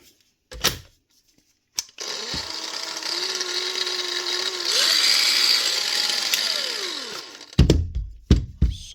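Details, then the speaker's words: Makita DGA452 cordless grinder: motor spins up to a low, steady whine well under normal speed, then winds down. Brushes worn out and brush holder melted; brushes, holder and caps replaced. "they wear away. Change them and she get up and running again."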